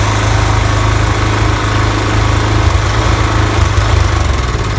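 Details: Toro TimeMaster 30in mower after replacing the spindle lower ball bearings and setting deck belt tension: steady, even low engine drone with no rubbing or scraping; deck runs smoothly, earlier loud rubbing noise repaired, normal running.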